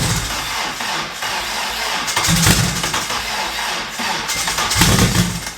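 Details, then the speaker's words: First start attempt, not in gear, with fuel and no leaks: slow, labored, uneven cranking that never catches; the starter lacked current because there was no engine-to-chassis ground, later fixed by adding a ground to the transmission. "so I noticed why I was cranking so weak moving so fast um does not grounds on the car so I just put it round on to the transmission nice um there's no there was no grounds on the motor to the chassis"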